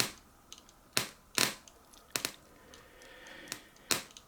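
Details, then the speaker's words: Clone C3850 preamp heard through a monitor amp while wires around the loose mains transformer are moved: quiet background broken by sharp, irregular crackles and pops; owner suspects the loose transformer (primary or secondary connection), not confirmed. "It's not constant enough that I can put a test meter across here and see the voltage dropping."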